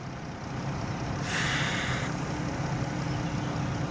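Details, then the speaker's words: Brake booster performance check on vacuum: steady vacuum hum, then a short rush of air hiss that takes a moment to settle. The booster has power assist but is slow to recover; sticking poppet valve in the hub, needs rebuild. "The pedal will go to the floor. When you initiate it, it'll suck it all the way down. Or it's very slow to recover. Very easy. Very easy. Oh, poppet valve sticking."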